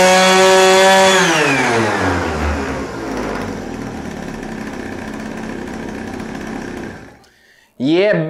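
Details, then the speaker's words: Pocket bike two-stroke with Dellorto SHA 15mm carb, first start on oil-rich fuel, some smoke and a small exhaust leak: sharp high buzz revving freely and falling back smoothly; normal running. "baby, she runs! Now there is some smoke right here. Of course, it is with the bad fuel, not really bad fuel, but more rich oil fuel. But she sounds absolutely amazing. It sounds like a proper bike right now."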